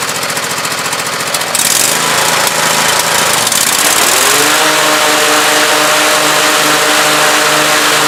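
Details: Husqvarna YTH2448 mower with 24 hp Briggs V-twin, new regulator and plugs: lopsided chugging beat, one cylinder very weak or dead, popping and sputtering; pops less at full throttle with deck engaged; head gasket check planned.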